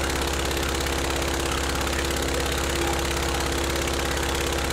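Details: Praga B2 aero engine, last ran 1939, rebuilt and test-rigged on a Vauxhall: loud, even rapid firing with solid low drone at full throttle, lots of smoke; pulls cleanly, normal full-throttle run.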